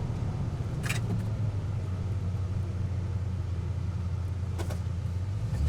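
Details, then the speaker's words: 1971 Plymouth Satellite rear differential after rebuild with backlash set and axle shaft noise fixed, driving: steady low road rumble with no rising or falling tone: normal rear differential, no gear whine. "Yeah. Well, you don't hear any whining, so we got the backlash right. I think it's pretty good."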